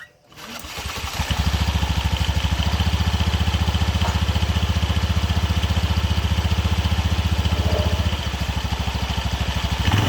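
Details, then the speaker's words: Honda BeAT FI eSP (K44) scooter, complaint of a rattle when engine braking after closing the throttle, running with the CVT cover opened; steady even beat with a faint light rattle riding on it. Worn primary pulley collar is loose and making it. "Ada yang mencurigakan ini dari area primer pulu primer. Nah, ini kocak kolarnya sudah haus. Nah, ini yang bunyi, Teman-teman."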